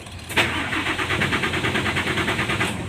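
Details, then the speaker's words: Hino Lohan diesel truck, weak power and stalling when braking or turning: starter cranks in steady pulses about six a second but won't fire without throttle; fuel injection pump (bospom) adjustment is the fix. "susah hidup tapi kalau kita injak ke seperti ini dia langsung mau jadi ini kita rem kalau udah di jalan"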